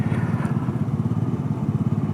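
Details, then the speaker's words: Honda Navi scooter idling while stopped, engine hunting and revving itself with a rapid, uneven surging beat; no vacuum leak found, intake boots tight, owner says it runs rich (fumes at idle), not lean. "This thing hunts so much idle. You're sitting here revving itself while I'm sitting still."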